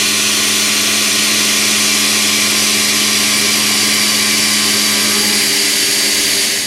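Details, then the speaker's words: Shrink-fit holder with cutter held out 2 in, full 3/8 depth side cut at 0.100 stepover, about 0.0015 chip load: steady, even hiss with a clean constant tone, no squeal or chatter; healthy cut. "right away you can see this is cutting like butter even being held out at 2 in of length away from a holder those chips are flying and if you listen it sounds absolutely"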